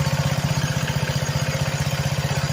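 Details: Homemade go-kart with a small single-cylinder engine (modified rope start), in neutral, just after new belt and cables: quick, even firing pulses at steady idle; clutch spinning, smoke clearing after it was tipped up.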